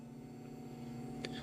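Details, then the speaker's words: VW Mk4 R32 twin turbo on ignition-on via PMU keypad button: a low steady electric whir for about 1.5 seconds, then a click and cutoff; the fuel pumps prime normally as programmed in the PMU. "you can hear the pump so the pumps actually hopefully you heard anyway but if you didn't what happens there is um the pumps actually primed so they came on primed and then turned back off"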